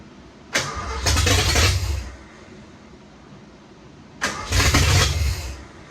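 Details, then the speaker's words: 1986 Ford F150, first running attempt in 20+ years after a vacuum leak was plugged. Two harsh cranking bursts, then a grinding starter whir keeps going as the engine catches. The starter hangs from a faulty starter solenoid; timing still needs tweaking. "I know I left y'all kind of on a cliffhanger but we've seen the last clip the starter started to hang well that's because a faulty star solenoid"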